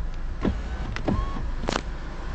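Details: Power window motor runs, then a dull knock as the glass bottoms out, as if hitting something. Only the door card was removed, other windows stop quietly, and nothing restricting was found behind the plate.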